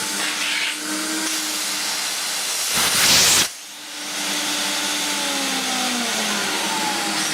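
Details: Hoover Galaxy vacuum after fitting a replacement motor, suction test through the jet-style hose end: steady even motor whine with strong suction rush and one brief airflow surge; motor runs smooth and healthy.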